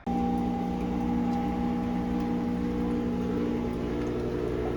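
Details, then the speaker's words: Whirlpool Duet direct-drive front-loader WFW72HEDW0 at full spin after repair of the drain hose strap (secured with zip tie): steady even whir and hum, banging and clanking racket gone down considerably. "we are now full speed racket has gone down considerably"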